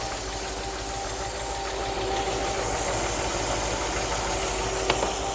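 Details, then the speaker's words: 1964 Ford F100 V8 with new Pertronix cast distributor, ignition timing being set (about 16–19° initial, ~700 rpm idle): even, steady idle with soft mechanical patter, no misses or kickback, starts easily and takes throttle well. "still starts easy it's not kicking back takes throttle real nice"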